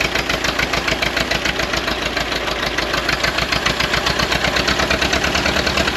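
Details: 1928 or 1929 Ford Model A Doodlebug four-cylinder revived after years sitting, choked, timing backed down: quick, slightly uneven chuffing idle over a bright clatter; running, a little rough, carburetor and timing still to be sorted.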